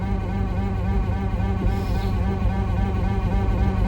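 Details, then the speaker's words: 1964 Dodge Dart GT, 273 V8, driving with windows down: steady nasal buzz at even pitch over road rumble, attributed to the speedometer cable vibrating. Cause suspected, not confirmed. "In hardtop mode, with all the windows down, making horrible noises from the speedometer cable."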